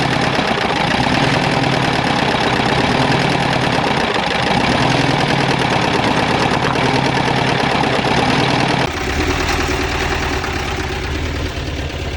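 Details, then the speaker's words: 2010 Mazda engine that arrived seized with zero oil, freed using ATF and penetrating oil, started on three cylinders, probably firing intermittently. Loud, hard pounding with a ragged, uneven beat of about three per second; rod knocking. "i will we got to give the mazda motor a little bit of credit for starting on three cylinders without your freaking with zero oil in it she dialed right to life she coughed and choked through all that atf we had down there"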